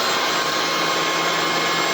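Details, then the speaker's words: Bissell ICONPet Turbo cordless stick vacuum running: steady high-pitched whine with even rushing airflow, no surging or rattles; owner calls it a little loud; motor running normally. "It isn't quiet. It is a little loud, but I love that it has a light."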